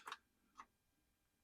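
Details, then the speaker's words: 2012 Ram Mega Cab Hemi, parked for months, battery fine, no crank: three sharp clicks with no cranking whir while shorting across the starter terminal; relay now clicks; starter may be bad or not getting enough current. "so starter could be bad or I'm just not getting enough home I wasn't getting the relay to click before so that's interesting"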